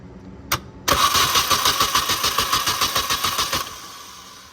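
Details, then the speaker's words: Mini Cooper with an immobilizer, bought moldy, starter jumped directly because no power reaches it from the key; quick tap then about 3 s of steady, even cranking near 3.5 beats a second; the starter works. "so what I did was I just jumped it and you can hear it turn"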